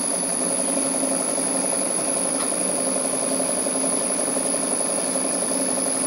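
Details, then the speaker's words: Rebuilt gas-fired model steam plant on its first live steam test; knocking from the piston hitting water at each end of the stroke soon stops, leaving a steady, even chuffing hum with no clatter as the small engine runs smoothly. "the knocking soon stops and the engine runs smoothly"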